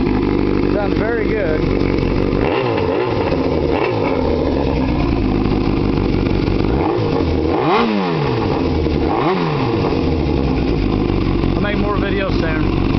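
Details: Yamaha YZF600R Genesis, bored and stroked (owner guesses 110 BHP), 20,000 miles, previously wrecked, new radiator and headers: a steady four-cylinder drone with quick throttle blips rising and falling cleanly, no knocks or misses, running normally.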